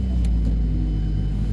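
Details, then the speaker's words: Vehicle started in -29 °C cold using a NOCO jump battery pack with override pressed because the battery is small: engine catches at once into a deep, steady rumble with no stumbling; normal cold start. "It literally just started right up. So it's a small battery, so you gotta press override."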